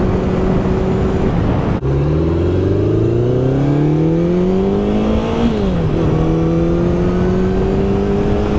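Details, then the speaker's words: 1972 Honda CB750 on a test ride after cleaning electrical contacts suspected of causing ignition cut-outs, recorded on a phone: smooth engine note climbing cleanly through the gears, idling well, no cutting out so far. "She's idling pretty good. Not really cutting out yet."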